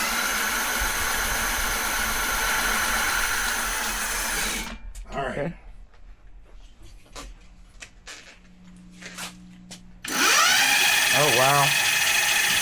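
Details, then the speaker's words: E-bike on highest setting, Pedal Assist 5 Max: strong steady high motor whine that drops away, then returns and sweeps upward as it spins up. Motor pulling hard, normal full assist. "Both of these have the highest setting, sport, whatever. Here's yours on Pedal Assist 5 Max."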